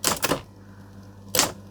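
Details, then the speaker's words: Vintage electric typewriter plugged into an appliance tester, switched to black ribbon: sharp, clean strikes, two quick then one after a pause, over a steady low motor hum; mechanism working, though the ink ribbon prints faintly, probably dried out. "How do we go to black? There, I guess. All right, that's working."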